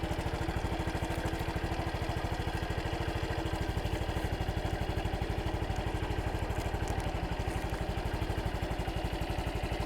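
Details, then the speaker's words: 2013 Honda Super Cub 110cc with a clutchless manual gearbox, idling just after the first cold start of the day; quick, even putter holding steady for ten seconds with no knocks or misses, quiet and only slightly louder than a Scoopy moped, normal cold idle. "It's very quiet. It's a little louder than the Scoopy moped, but not by much."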